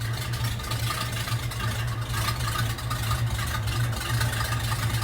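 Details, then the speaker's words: Old hearse V8 with new exhaust and big return spring, idling without throttle while warming: uneven, lumpy loping idle with faint hiss, owner wonders if power steering; vacuum leak from collapsed, self-sucking PCV hose causing rough idle. "It doesn't sound like it's running right. I don't see any leaking, but it is making kind of a strange sound, but it might be just my power steering that's making that sound."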